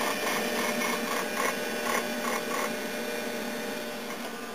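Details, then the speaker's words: 1998 Dell Dimension XPS R450 Pentium III PC booting Windows 2000 from its 2 GB drive (a 4 GB drive is also fitted): quick irregular clicks over a faint hum as the hard drive seeks while loading, normal. "you can hear the hard drive ticking loading"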